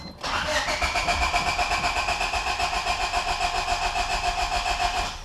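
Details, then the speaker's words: Honda EK Civic, fuel pump fuse pulled and gas cap off to relieve fuel pressure before a leaking gas tank swap: the starter cranks steadily at about four pulses a second for five seconds without catching; no-start from no fuel pressure. "all right that's it you actually don't have to turn the car and on it'll automatically uh uh it's basically out of pressure already it had no fuel to even spark over so that's perfect"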